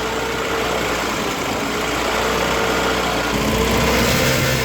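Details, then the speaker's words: 1972 MG Midget 1275 engine idling evenly with a steady, smooth beat and no rattle, after replacing the missing and worn throttle springs and the gaskets. "Now let's listen to the engine, now that the new springs are installed and all that gubbins has been done."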